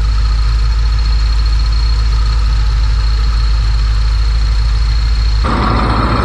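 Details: 1966 Ford Thunderbird barn find, after a new timing chain, a new water pump, a reconditioned radiator and A/C upgrades, idling while the A/C is charged: a steady deep low idle with an even beat and faint fan hiss, no knocks or ticks.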